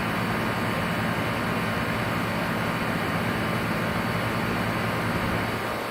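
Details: Outdoor AC compressor running: constant rough, gritty roar with a faint steady hum underneath and no clear rhythm; grinding noise, cause unknown.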